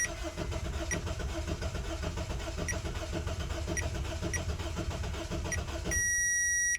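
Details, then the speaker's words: 2007 Honda Civic 1.8L four-cylinder with a crank-no-start and no fuel pressure: starter spins evenly for several seconds without firing, ending in a beep; only about 10 V reaches the fuel pump while cranking, a weak power feed suggesting high circuit resistance. "but in this case it looks like uh we have a weak voltage or weak power feed going to the fuel pump here maybe indicating that there may be high resistance in the circuit"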